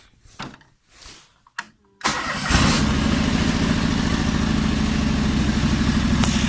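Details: John Deere 425 lawn tractor during restoration, new battery fitted after old one died; engine catches after about two seconds and settles into a steady even idle throb, runs well.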